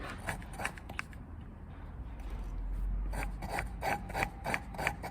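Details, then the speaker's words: Lapping a pitted valve (not the inlet) into the cylinder head with grinding paste, sucker stick and light pressure: gritty rasping strokes, about three a second, as the valve is rocked back and forth, paste cutting the seat normally. "There you go, you can hear the grinding paste working away."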